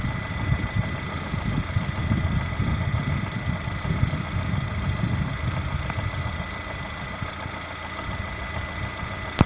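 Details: Lada Granta with the 127 engine, hot idle: a dull, uneven knocking under the steady hum; source not identified by ear. Engine knock when hot.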